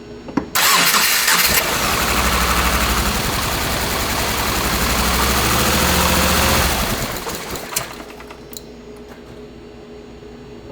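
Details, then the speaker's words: 2.5L-swapped first-generation Subaru Crosstrek, hand-built engine, different injectors fitted: catches and runs harsh and uneven, then cuts out with pops as unburnt fuel ignites in the exhaust after long warm-up. Rough running; owner suspects injectors. "All right, I really feel like it might be our injectors. So there, I let it warm up so much that we started to ignite the unburnt fuel in the exhaust, which could make sense."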